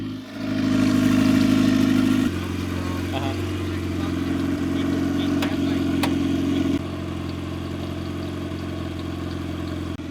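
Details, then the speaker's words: Rebuilt B20 VTEC turbo Honda Civic EG hatch, tuned at nine pounds boost on pump gas with new injectors, first start after months of work: crisp, even revs rising and settling cleanly, no knocks or rattles; healthy, purring. "oh she is purring that sounds sick"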